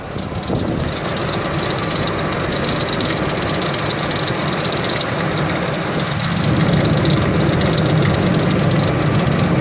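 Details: 2003 Ford Expedition V8 at idle: fast, fairly even light ticking, about four per second, over the steady idle; owner suspects a pulley and hopes it isn't internal, source unconfirmed.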